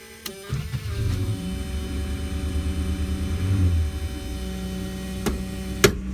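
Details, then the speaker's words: 1970 Dodge Dart Custom daily driver, cold start with a rebuilt original Chrysler starter: starter spins briskly without the usual Chrysler starter sound, engine catches within about two seconds and runs on; healthy cold start. "so you see the good quality original Chrysler starter does not have that that sound that we all know Chrysler's to be famous for"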